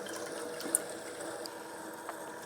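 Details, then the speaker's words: Water-cooling pump in a 14900K/4090 PC in a 13-litre NAS case: starts slow with quiet gurgling trickle, faint clicks and fizzing as it pushes many air bubbles through. "there's going to be a lot of bubbles in there for it to be pushing through."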